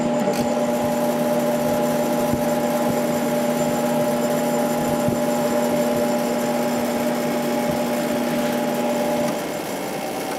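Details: Sharp 8,500 BTU window air conditioner, freshly cleaned, no rust, two broken bottom parts, just started in the window: steady, even mid-pitched motor hum with soft fan rush, pretty quiet; outside grate vibrating, usually stops after a while. Normal running.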